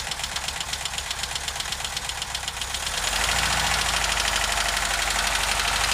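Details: VW Vanagon T3 at idle: fast, even ticking of about four per second that grows louder as the engine picks up; it shows strange smoke when cold and the cause is not determined.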